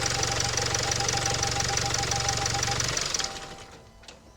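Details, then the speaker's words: 2017 Range Rover Evoque diesel after turbo cartridge replacement, idling: busy metallic rattle about three beats a second over the diesel clatter; turbo squeal gone. "Very rattly cuz of all this."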